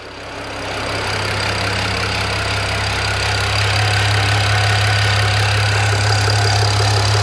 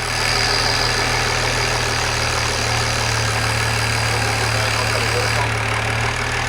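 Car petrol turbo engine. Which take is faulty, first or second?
first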